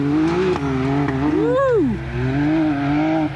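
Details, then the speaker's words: 2019 Can-Am Maverick X3 Turbo, rebuilt after a rollover, just reassembled: revs rise and fall with sharp exhaust cracks as the throttle closes, popping louder than before on deceleration; the owner says it still needs a tune. "she's a spitter she's a spitter dude she sounds good wait better now and it actually pops a lot louder dude it sounds sick"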